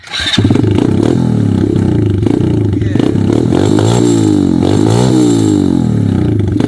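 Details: Revived single-cylinder ATV with fresh gasoline and the choke partly on: after a brief crank it catches and settles into a steady, even putter with a couple of small throttle blips; running normally.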